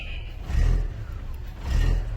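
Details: 2007 Volkswagen Jetta with very bad idle: petrol engine revs swell up and fall back roughly every second, idle surging, cause not yet found.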